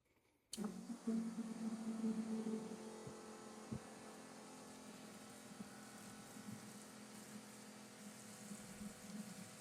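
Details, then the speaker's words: Electric fuel pump on a carbureted LS-swapped Fairmont, flushing fuel into a bucket before first start: it kicks on with a steady low hum and faint fluid rush, smooth and even. Some crud may have been flushed out, and the pump sounds healthy. "But fuel pump sounds good. Sounds healthy."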